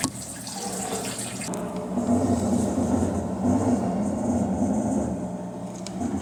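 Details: Electrolux LT11F washing machine draining: water rushing out over a rough, grinding drone that swells at times; noise traced to the drain pump.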